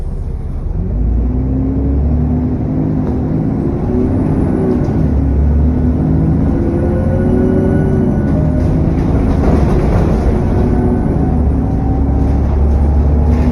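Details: SN61 DDE E210 on a dead run back to MB: loud, steady drive with a heavy low roar and a faint thin whistle over it, cooling fan thrash and turbo whine.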